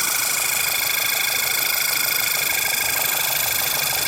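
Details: 2008 VW Passat 2.0 TSI at idle with light, quick ticking about three to four per second, started a few days ago; not from tensioner, water pump or the new oil pump; source unknown.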